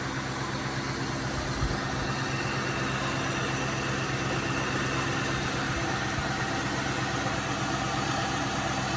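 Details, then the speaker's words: 2000 Cadillac DeVille limousine, Northstar V8, idling with the hood propped and the battery weak: even, quiet hum with a steady low rumble and no knocks or ticks; idles smoothly, though the owner fears a bad head gasket. "Seems to be quiet for such a bad engine as they claim."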